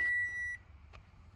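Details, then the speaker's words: 2012/2014 Toyota Camry Hybrid, about 140k miles, no-start: pressing start shows key/wireless icon, READY flashes twice and disappears, single half-second beep then click; codes P0A80, P0AC0, P0B3D, P0C30; heavy electrical short, fixed by replacing parts. "when i press the start button the ready clicks two times before disappearing giving me problems too"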